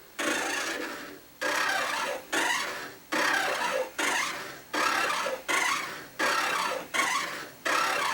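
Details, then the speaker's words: Stamina InMotion E1000 mechanical elliptical trainer, light rust visible on bearing: harsh rasping squeak and growl swelling on every stride, about forty a minute, from a rod rubbing on the wheel. "I don't know if you can hear that but it's pretty objectionable and it's growling"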